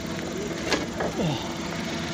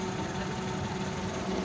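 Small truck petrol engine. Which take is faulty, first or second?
second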